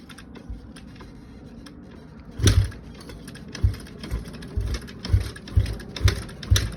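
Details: Kawasaki KX250F with fuel, air and spark confirmed: dull irregular thumps, roughly two a second, as the kick-start is worked; engine never catches or runs, no start.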